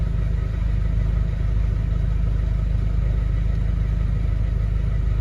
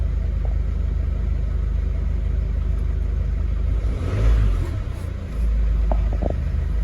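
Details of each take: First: 2011 Mercedes Vito 113 CDI, OM651 diesel, idling cleanly with steady even clatter and no stumbles; fault appears only after revving, when it returns to a rough idle and stalls; owner suspects faulty fuel pressure control valve. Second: 2011 Mercedes Vito 113 CDI, OM651.940 common-rail diesel, idling fine until a brief rev. On returning to idle it runs rough, swelling and sagging every couple of seconds, and the fan starts. Owner suspects a faulty fuel pressure control valve.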